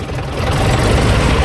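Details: AEC Militant 6x6 artillery gun tractor diesel, restarted after its fuel system was bled: a deep, even idle with a steady low thrum and no misses or knocks. No smoke, no leaks, runs rather well.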